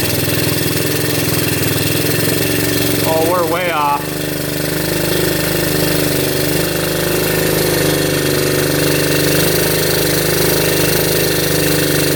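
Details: 1972 Honda CT70 with bogging problem, timing checked against F mark: small single thumps at rough uneven beat with dull flat exhaust note; ignition firing about half an inch late, retarded timing, points gap to be adjusted.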